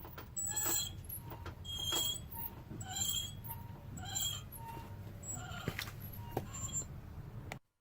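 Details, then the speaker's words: Car disc brake with pads worn low: the pad wear indicator tab rubs the rotor, giving short high-pitched chirping squeals about once a second over low rolling rumble, warning that the pads should be replaced. "if you replace your brake pads when you hear this noise it's a pretty good chance you will catch it before the brake pad material is fully gone this tab warns you that your brake pads are really low and should be replaced"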